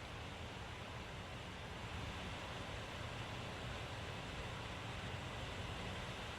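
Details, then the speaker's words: Alienware Area-51m laptop (i9-9900K, RTX 2080) in the full-speed thermal mode, which is louder than performance mode: a steady, even rushing whoosh with no ticking, rattling or pitch wobble; normal full-speed fan noise. "it's getting louder I suppose it's not getting much more louder than this now and that's not very bad it's not much louder actually Dan"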